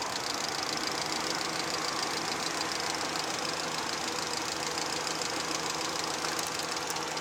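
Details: VAZ 2110 16-valve engine at idle: steady fast ticking knock, three or four a second, over the idle; internal engine knock, cause not pinned down.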